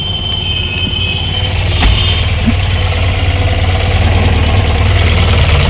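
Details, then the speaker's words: Tata Nano with its loose AC compressor relay fixed: steady low idle hum, engine speed rises as the AC comes on, then the compressor engages and the idle holds steady; cold air blowing, normal. "अब यह आपका है। Compressor पर। यहाँ से ठंड से तेज हवा चल रही है।"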